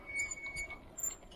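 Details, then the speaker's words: RKS DC15 electric bicycle braking: thin high squeals come and go in short bursts; the new disc brakes squeal because they are new. "Diskler yeni olduğu için biraz ses yapıyor tabi."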